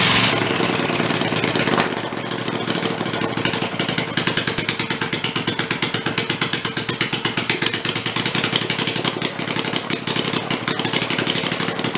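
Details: Rebuilt Kohler Command 20 hp engine, revived after a thrown rod and flood damage, 150 psi compression, refueled and run on the bench: quick, even firing pulses with a clean regular beat, no knocks or misses; normal running.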